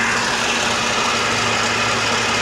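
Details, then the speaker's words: Older Mercedes at idle: steady, loud, hissy idle with a busy whir over the top, much louder than it should be; abnormal engine noise, cause unknown. "but I definitely hear something going on under the hood here that sounds way too loud you tell me if I'm wrong but I don't like the way that"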